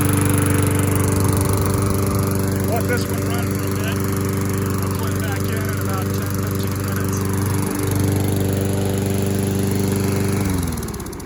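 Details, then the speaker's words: Classic Briggs single-cylinder engine after an oil sump replacement, 20 oz of SAE 30 oil, and cleanup: holds a steady, even drone with no misses or knocks, then winds down at shutoff; runs normally. "this one runs really good too"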